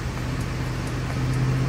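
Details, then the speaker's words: 2006 Ford F150 V8 after fixing a melted O2 sensor shorting fuse 32 and clearing limp-mode codes: low, even hum with no stumble or sputter, holding steady where it previously misfired at about 2000 rpm; normal idle. "And right away, I can tell by how the car is idling and RPMs, she's back to normal, because before when I held it at like 2000, you would hear it misfiring or sputter, but right now she's holding steady."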